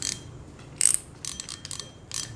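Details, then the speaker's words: Used Japanese-market fishing reel, described as Okay overall and very smooth in operation: light, even clicking and whirring as the handle turns, no grinding or catching; smooth, healthy retrieve. "tổng thể ngoại hình thì còn Ok nó xuất sắc nhiều ạ hoạt động Ok em ơi rất mượt cái này"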